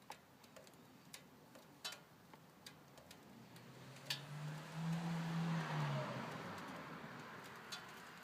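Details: 1998 Ford Escort SOHC idling after new PCV routing to cure a crankcase squeal from a suspected PCV leak: quiet idle, light even tick about three per second, brief rise in engine note, no squeal; running normally.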